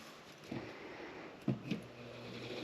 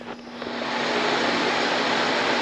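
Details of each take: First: Bathroom exhaust fan that the tenant said made a loud noise: low motor hum that builds slowly as it struggles up to speed; greasing was considered but rejected, and the motor is being replaced. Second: Bathroom exhaust fan, reported as making a loud noise, after servicing: it spins up over the first half second, then holds a strong, even whoosh with a steady low hum. Normal running.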